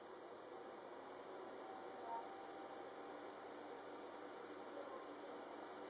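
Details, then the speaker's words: GTX 660 OC 2GB graphics card after replacing its noisy 3-pin main fan (non-serviceable bearing that was rubbing), at 57% fan level set via Nvidia Inspector: steady, even airy whoosh with a faint hum and no rattle or scrape, smooth. "Sound test with a new fan. Noise test with a new fan . 57 percent fan level."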